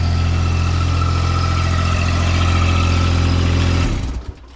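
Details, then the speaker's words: Homemade skid steer vibratory roller built from an old trench compactor, on its first hydraulic test while raised off the ground and bleeding old oil: a smooth, steady low drone as the counterweights spin up, then winding down, quieter than expected. Normal running. "It's actually a lot quieter than I thought. I know it's up on um it's up in the air, but it it sounds all right. You can hear when these counterweights spin up."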